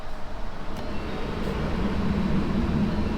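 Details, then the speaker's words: A 2011 Mustang Shelby GT500 with a new blend door actuator (Duralast 604-262) gives the steady low rumble of the climate system. The clicking from behind the dash is gone, and the actuator works normally after replacement. "let's get it in there and see if I clickity click goes away okay YouTube ready ready oh look no Clickety clicks"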